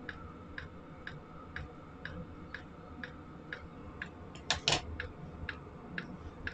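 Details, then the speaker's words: Chinese AliExpress Webasto-style diesel parking heater, outlet air around 50°C: crisp, even ticks about twice a second over a soft burner rush; fuel pump metering normally, heater running fine. "donc là voilà il chauffe franchement c'est vraiment bien c'est simple d'utilisation"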